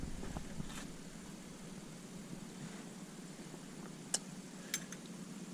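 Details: 1979 Chevrolet C3 Corvette, after removing aftermarket alarm and stereo wiring behind the dash, in neutral before cranking: quiet steady low whir and airflow rush with no rattle or scraping; heater blower fan running normally.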